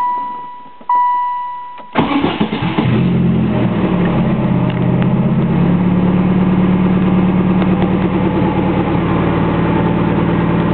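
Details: 1998 turbo Saturn, Garrett T3/T04B turbo, ported head and intake, Crower rods, JE forged pistons, 3-inch open downpipe, engine warm: short crank, then catches into a loud, deep, even idle, no knocks or misses.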